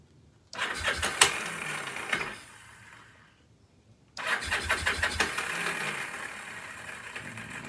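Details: Free Kawasaki KZ750 motorcycle cranking after carb cleaner, starter cutting out; owner suspects no spark and plans to clean the points: rapid uneven cranking in two short spells with no firing; cranks but won't start.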